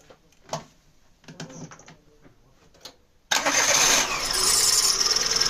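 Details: Daewoo Matiz after muffler welding repair: quiet pause, then engine catches and settles into an even idle with a soft exhaust and faint transmission whir; clutch/basket noise mentioned; normal idle.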